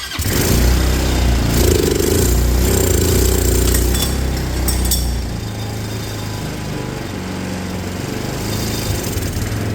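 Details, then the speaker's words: Auction go-kart engine, running after the fuel system was fixed, airbox off: revs then settles into a low, lumpy idle near stalling; owner thinks the idle screw needs turning up. "okay runs I think I just need to adjust my idle a little bit"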